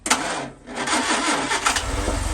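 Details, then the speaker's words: 1963 Humber Sceptre that stood for 7 years, on a fresh battery after the plugs were done: the engine catches quickly after a brief crank and ticks over on its own steadily with no misfire. Normal start. "Beautiful. Well, it's ticking over on its own."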